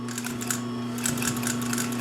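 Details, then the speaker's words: Pfaff 134 sewing machine at slow speed: steady motor hum with light, evenly spaced needle ticks; smooth, controlled normal stitching. "I'll start it back up, and you can hear that hum. It's just a flick of the switch."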